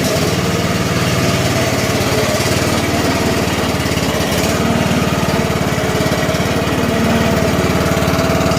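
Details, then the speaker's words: John Deere LA105 lawn tractor, about a 2010 model, with a 19.5 hp Briggs & Stratton single and 42-inch deck, run briefly on choke without an air filter in second gear: a steady, even putter with no misses, knocks or surging; running nicely. "Second gear. Running nicely."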